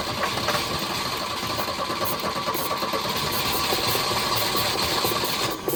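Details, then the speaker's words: Volvo 242 recovered from the woods, after timing adjustments: ragged, stumbling, irregular running that barely stays alive, though not knocking. It still needs carburetor work and fuel. "I don't know if you want to call that running, but it runs. It's not knocking or anything. That doesn't sound good."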